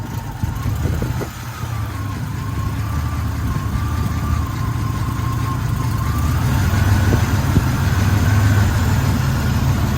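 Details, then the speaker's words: 1984-87 Buick turbo V6 at startup after resetting the TPS and IAC: idles low and steady, idle speed rising slightly into an even rumble; a suspected vacuum leak causes hesitation pulling away. "All right, so after resetting the TPS and the IAC, here's what startup looks like. Startup sounds good."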